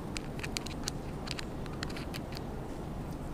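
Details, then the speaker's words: Traxxas TRX-4 Sport single-speed transmission after adding shim stack to stop gear hitting the case: steady low motor and gear whir, no grinding or clicking, no debris; normal running. "again zero grinding there's no sound of this gear hitting the case anymore you can look and there's no debris so that's it"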